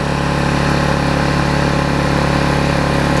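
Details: Vulcan 18" mower's 3.8 horsepower two-stroke, revived with a new intake pipe and a freed rusted flywheel/magneto, holds a steady, even drone at constant pitch with no surging or misfires; running smoothly and healthy.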